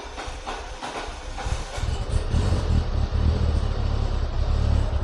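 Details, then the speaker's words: Citroen BX 16V, after fixing a fault that made it inject far too much fuel, started from an unpressurized fuel rail: brief cranking, catches and settles to a steady, even low idle; fueling still needs resetting. "She lives. That's running a lot better."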